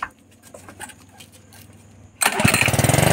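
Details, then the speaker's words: Honda GX80 water pump engine after tank, filter box and carburetor cleaning, switch on, pull-start: quiet pull, then catches instantly and settles into quick, even firing; starts cleanly and idles normally. "मेरा एक start हो गया है देख मेरा स्ट हो गयान कर रको मिलाना है हमको देखिए मेरा कंप्लीट हो चुका है और एक में स्टार्ट हो रहा है"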